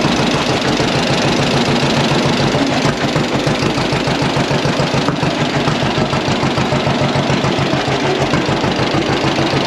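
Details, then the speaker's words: Hand-crank John Deere Model A tractor (believed to be a 1936) after valve/tappet clearance adjustment, started on choke: slow, even two-cylinder putt, steady with no misfire or backfire, running healthy. "we got our valve adjustment made and started the tractor up, and you got to hear it run there. Sounded really good after making this valve clearance adjustment and or tappet adjustment, however you want to say it."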